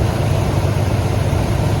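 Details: 1996 Ford E-150 Club Wagon 5.8 V8 just after alternator and belt replacement: low, steady idle rumble, smooth and even with no belt squeal or chirp; normal idle.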